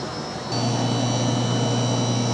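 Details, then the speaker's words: Stoelting U431i2 soft-serve machine after barrel replacement, freezing down until set amperage: motor kicks in to a steady, even hum with no grinding or squeal; normal running. "So, it's going to uh run it until it hits the uh ampl that it's set for. It'll start to freeze down."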